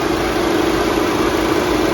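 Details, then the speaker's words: 2014 Volkswagen Beetle Turbo GSR after replacing the cracked dual radiator cooling fan assembly, engine running with AC on max: both fans ramp up to a constant, even whoosh with a faint hum, no vibration, rattle or rubbing; normal cooling fan operation. "You can hear them ramping up. There you go. Now if you can see that, but both fans are running. They are not vibrating."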